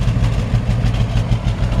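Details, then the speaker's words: 1957 GMC 100 truck at idle: low, soft, even exhaust pulses, not aggressive, no ticking or leaks; nice quiet healthy engine. "Pretty quiet, not a real aggressive exhaust. Nice quiet engine."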